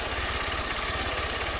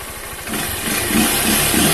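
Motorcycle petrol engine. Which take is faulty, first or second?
first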